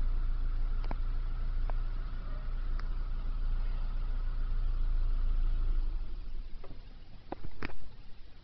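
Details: 2001 Nissan Sentra SE 2.0 at idle: low idle hunts and shakes unevenly; rough idle, slightly improved by a new fuel pump and fixed by replacing the weak mass airflow sensor.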